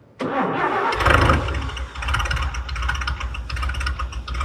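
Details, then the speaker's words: 1966 International 1100 shortbed pickup, barn find with four-speed, first start after brakes fixed and new battery fitted: engine cranks briefly, catches and settles into a steady, even low idle with no misses or knocks, running like a sewing machine. "well so far it runs car hasn't caught on fire hers like a kitten as doich would say runs like a sewing machine"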